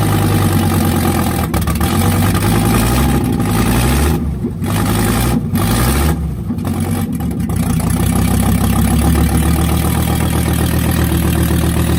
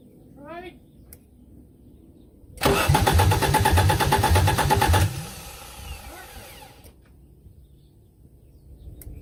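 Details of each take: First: 1984 Audi 4000 Quattro five-cylinder at first start after reassembling the intake, CIS fuel injection, ignition and vacuum systems, with the exhaust disconnected: a loud, raw, uneven rumble settling to a steady idle after a blip. It runs normally. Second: 1984 Audi 4000 Quattro five-cylinder, first start after reassembling the CIS fuel injection, intake, ignition and vacuum systems, with the exhaust disconnected: quick, even cranking that almost fires but never catches.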